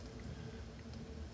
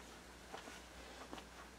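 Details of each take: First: Amplifier at full volume playing a quiet vinyl track after hum-and-buzz troubleshooting that involved the turntable and power cord wiring: only soft, low record surface noise, no buzz or mains hum, so the amplifier is now quiet. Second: Amplifier with turntable connected produces a steady low mains-like hum and buzz with faint clicks at about half volume, annoying during quiet passages and low-volume listening; speaker hum/buzz, source being troubleshot.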